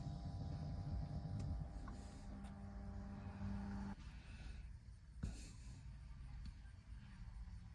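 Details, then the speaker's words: 2012 Camaro RS V6 after replacing the driver-side blend door (it was stuck on heat), during the scan-tool blend door relearn with the key on. A faint, steady whir under the dash for about two seconds, then it stops: the actuator is working normally. "So it says turn the key to the on position. All right, it is on, or it's in the on position. Oh yeah, I hear it moving."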